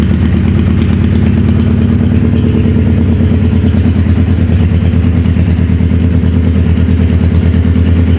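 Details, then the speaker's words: Wrecked 2011 Suzuki Hayabusa GSX1300R with a busted stator cover and coolant system building pressure: loud, uneven, stumbling idle; not firing on all cylinders, and a temperature check finds one cylinder cold; misfire. "For some reason, it sounds like it's not hitting on all the cylinders. We could do the spray test. It don't sound like a 1300 supposed to sound."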